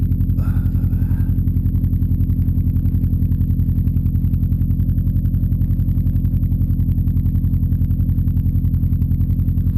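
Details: Subaru engine built with Wiseco forged pistons at .0025-.003" piston-to-wall clearance, cold idle at about 2°F after a -15°F night: an even hollow knock every third of a second. Piston slap persists when warm and gets louder in colder weather.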